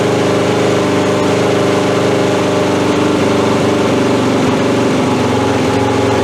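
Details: 1982 Honda CB750 K running with the fuel tap accidentally left off and old, stale gas: uneven idle wavers and stumbles, and stops stumbling once the fuel is turned on. Fuel starvation.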